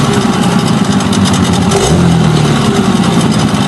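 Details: Hangkai 9.9 outboard, plug gap reset from 0.6 to 0.9, thermostat fitted, cooling water flowing: ticks over at a steady low idle with an even beat, no sneezing; healthy (earlier sneezed when throttle was dropped).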